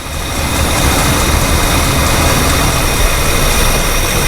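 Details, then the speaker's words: 1968/69 Mercury 390 Ford FE V8 after 15 years in a field: loud, lumpy uneven idle that smooths when the booster hose is clamped; rotted power brake booster diaphragm leaks vacuum, leaning two cylinders, risking burnt #4/#5 exhaust valves; vacuum leak. "that's a definite leak right in here it's just sucking right past the uh power brake booster so what it's doing is it's introducing air through here and leaning out my mixture and those two cylinders over there"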